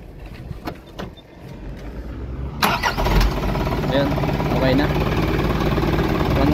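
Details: Isuzu NPR diesel truck with hard-starting trouble caused by a leaking old battery; after fitting a replacement 24 V battery, a few light clicks, then it catches at once and settles into a steady, even idle: a clean, healthy start.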